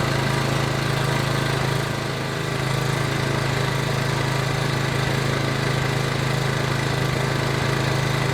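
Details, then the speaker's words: PowerBoss 5500 W generator, Briggs & Stratton 9.5 hp OHV, rebuilt from parts, restarted with priming fuel: steady deep drone, only a brief dip under load; running pretty good. "all right we have some success here it's running pretty good"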